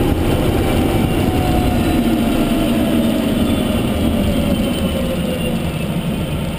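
Clear tonal whine that slides down in pitch as the car slows, over road rumble; electric drive motor noise, cause unknown.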